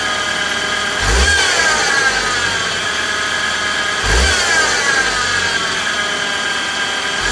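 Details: 2016 BMW X3 xDrive28i N20 engine: steady high whine over the engine that climbs with each quick rev, caused by a bad belt-drive pulley bearing.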